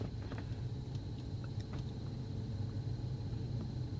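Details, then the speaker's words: Toyota Tundra (2007–2021 body) idling after scan tool variable valve timing command is switched off; steady even low rumble with no stumble, knock or miss, returned to normal idle. "and it returns back to normal."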